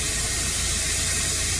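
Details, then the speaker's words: Renault Scenic with crank-no-start, loose injectors and exhaust back pressure about 1557 mbar, green pressure-sensor hose disconnected: loud steady high hiss of exhaust gas forced out the open pipe, engine barely heard, then stalls; DPF totally blocked. "the pressure Pig so spot pressure even man it's stalled I didn't like it it's too much it's totally choked might do some damage if I keep trying"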